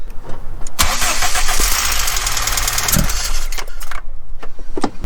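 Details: VW Mk3 with 2.0 L ABA engine, abandoned non-runner with new spark plugs and wires: no-spark fault from the failing ignition coil; once the coil is given a proper ground, starter whirs, engine catches and settles into a rough idle, wind noise heard.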